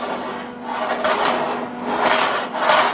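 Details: Sliding barn door rail lengthened by joining two pieces with shims, C-clamp and light MIG tack welds, shims removed: even rolling rumble as the door runs along the track, no click or bump at the joint; smooth seamless splice.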